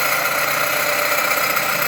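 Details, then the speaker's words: Dodge Avenger/Journey/Chrysler 200 engine at idle: dense, even whirring roar with faint high whine; vibration felt at the alternator, not the A/C compressor, so the noise comes from the alternator's rear. "Pues de volada sacas que el problema viene de la del alternador y se escucha Precisamente en la parte esa de"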